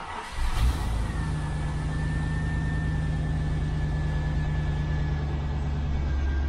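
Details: Range Rover Classic soft-dash after exhaust and manifold work with coolant topped up; engine catches after a brief crank and settles into a steady, even idle with a faint high whine; runs normally, though the tachometer is not working.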